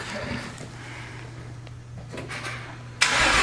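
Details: BMW E46 started at a shop: quick crank, catches cleanly and settles into even, smooth idle with no knocks or misses; sounds really healthy.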